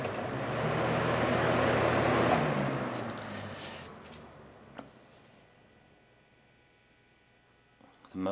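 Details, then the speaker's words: 1989 Lasko Galaxy model 3723 20-inch box fan spinning down: fading hum, no rubbing or scraping, much quieter; normal spin-down. "much quieter now I don't hear any rubbing sounds from it being dry"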